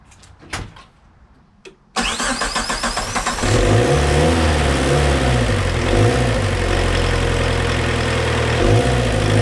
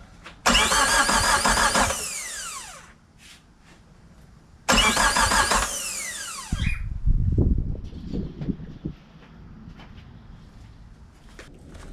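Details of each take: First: Suzuki Samurai with 1.6 VW turbo diesel, injection pump just primed, tank of dirty yellow diesel: after cranking bursts it catches into an uneven, lumpy idle; owner blames the bad fuel, not confirmed. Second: Suzuki Samurai with a 1.6 VW turbo diesel just after an oil change, injector pump not yet primed: two short bursts of even cranking without starting, deliberately turning it over to build oil pressure.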